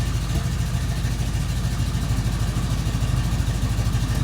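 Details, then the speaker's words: 1973 AMC Hornet carbureted engine after vacuum repairs, cold start as temp gauge begins to rise: uneven idle, deep low throb broken by irregular pops and stumbles. Still popping; timing, idle speed and idle mixtures are to be set once warm. "even that far up the temp you can hear it popping so we're going to get her warm"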